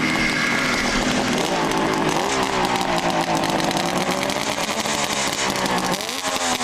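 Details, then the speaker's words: 1971 Kawasaki H1A 500 two-stroke triple, rebuilt with new Wiseco pistons, 7,500 miles since rebuild: raspy revving with a dry metallic rattle, attributed to new Wiseco pistons that rattle when new. "Rattling sound that you hear is Weisco pistons. They rattle when they're new."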